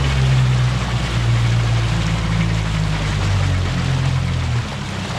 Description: This 2020 Mercury Marine 50 hp 4-stroke EFI, has ~65 hours on it, and has started making this weird noise, it hard to explain.